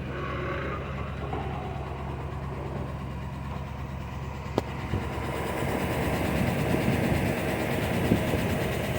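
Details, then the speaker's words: Chevy petrol engine idling while parked: low steady hum with light, fairly regular tick about two to three a second, seeming to ease slightly in gear; lifter tick suspected, not confirmed. "Okay, so I'm sure you guys can hear the tick now that I parked."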